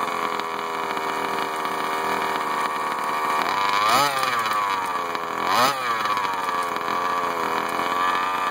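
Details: Baja 5T RC two-stroke engine, after running wide open briefly; fast buzzing with a dry rattle, pitch dipping and recovering on throttle blips: engine rattle, source unclear.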